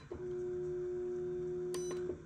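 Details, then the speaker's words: Electrolux LTD11 washing machine, inlet valve triggered via MAT self-test monitor: clean steady hum switches on about two seconds then cuts off when Off pressed; valve energizes normally. "olha só eu não sei se vocês conseguem escutar mas a válvula foi ligada normalmente aí quando eu aperto off ela desliga"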